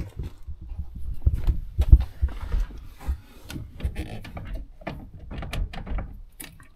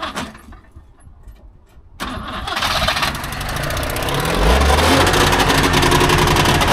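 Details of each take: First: Trabant 601 two-stroke, recently bought, previously held no idle at all: starts instantly without choke, buzzes loudly at a fast idle, roughly holds idle, then stalls again; better than before, idle still unstable. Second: Recently bought Trabant 601 two-stroke, first start attempt: starter churns briefly, then it catches and settles into a fast, even two-stroke buzz with steady pulses; starts and sounds fine.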